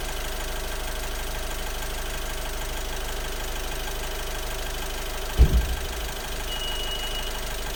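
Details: 2018 Honda Civic X 1.6 i-DTEC diesel, strange noise at idle: steady idle with a fast, even knocking rattle under the low rumble; cause unclear.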